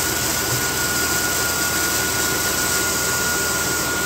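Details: 2003 Dodge Dakota after replacing the failed, shrapnel-shedding AC clutch, checking charging: steady, even idle with a smooth whir and fan hiss and no knocks or misses; the noise is gone and it runs normally.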